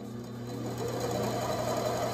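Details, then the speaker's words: Metal-cutting bandsaw converted to a treadmill motor with variable power supply, blade installed, at slowest speed: steady low motor hum and fine even blade whir, no knocks or rubbing; running normally. "everything's working as it should it's the slowest"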